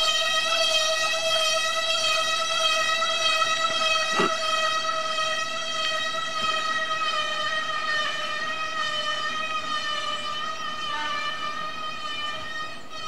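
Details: Loud, steady high-pitched brake squeal with strong ringing overtones, held continuously for the whole stretch; the brake squeals nonstop as it drags, louder than a bear bell.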